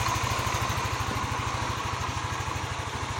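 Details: Yamaha NMAX 155 after repair of error code 61, an idle speed control fault, runs with an even, steady putter at a smooth idle with no hunting, stumbling or surging.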